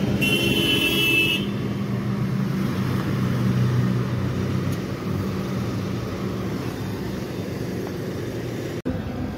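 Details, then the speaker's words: Voltas AC (R22) outdoor unit after big refrigerant leak was found, brazed and refitted, then gas charged; suction/discharge first iced, settled after adding a little gas. Steady low hum, even fan whoosh, no rattles or knocking; runs smoothly, normal. "শেষ পর্যন্ত gas charge করে দিলাম। এই যে section ডিসচার্জে প্রথমে বরফ ধরেছিল, তারপর একটু গ্যাস দিয়ে দেওয়াতে কমপ্লিট। মেশিন সুন্দরভাবে সাউন্ড শুনতে পাচ্ছেন, হয়ে গেছে।"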